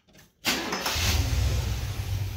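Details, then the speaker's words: 1971 Cadillac DeVille 472 with a restored Quadrajet, timing at 10°, mixture screws 3.5 turns out: brief crank, then a clean hot start settling to a steady low rumble, slowly returning to about 800 rpm base idle. "that seems to work pretty well actually it takes it a moment to get back up to the base idle"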